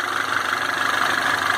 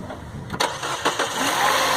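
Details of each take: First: Citroën C4 Lounge THP after cold start: early diesel-like clatter has faded, now an even steady hum with light mid-pitched whir, no rattle or ticking; warm engine idling smoothly, noise described as chronic to this Citroën. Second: Citroën C4 Lounge THP cold start: hard diesel-like clatter with rising whine right after starting, settling quieter and smooth as it warms and with light revving; cold-start engine noise.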